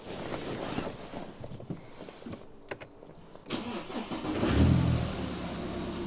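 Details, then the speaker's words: BMW 118d E87 diesel cold start after replacing the glow plug control module (codes 4A6E, 4A5E, 4690): brief crank, catches and settles to an even low idle without the earlier misfire, shake or judder; normal cold start. "Oh, that's fired straight up with no vibration. Well, that's great news. That has just fired straight up with no juddering."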